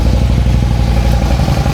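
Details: 2008 Harley-Davidson Street Glide, 96-inch, six-speed, just started and warming up, spitting and sputtering complaint: loud uneven V-twin lope with irregular pulses; suspected intake manifold seal leak, later found at front cylinder.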